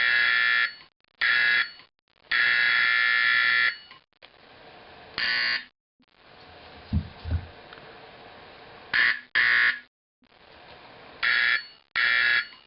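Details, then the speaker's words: Simplex 4051 24 V DC horn being converted to 24 V AC 4050, spring removed: repeated blasts of uneven length with harsh, buzzy, raspy edge, rougher than a 120 V 4050; raspy horn tone, magnet position adjustment next. "It sounds a little bit raspy. It sounds a bit more raspy than the 4050."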